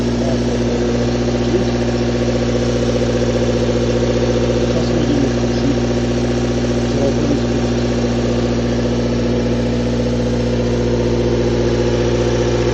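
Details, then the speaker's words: Toyota 4A-FE engine at idle: steady idle with a light, fairly regular tap about two per second; knock, owner suspects camshaft or valves, unconfirmed. "Такое чувство, что распредвал или клапана."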